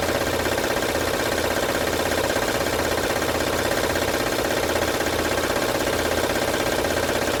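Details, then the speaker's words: 2006 Honda Odyssey at idle, no stored codes: loud, steady metallic rattle two to three clatters a second, loudest at the front; timing belt area suspected, not yet confirmed. Engine rattle. "como ven pueden Escuchar el ruido es fuerte vamos a ver de dónde está viendo LED"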